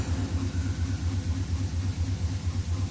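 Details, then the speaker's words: 1964 Pontiac Catalina V8, first start after new ignition switch install: low, lumpy, uneven idle running rough; owner suspects it is not on fast idle. "It started. Uh, now we'll look to see if we're going to let any smoke out of here. [Music] really running rough,"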